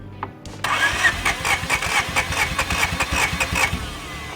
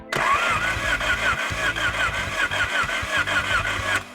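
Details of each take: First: 1987 Acura Integra first start after a new thermostat, alternator, intake gasket, spark plugs, header and injectors, with 10W-40 oil: cranks and catches, stumbles off, then fires again into a rough but steady idle; normal start and idle. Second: 1987 Acura Integra crank no start after rebuild: steady starter cranking with even compression beats and no firing; spark present but no fuel, injectors not spraying, later replaced with remanufactured injectors.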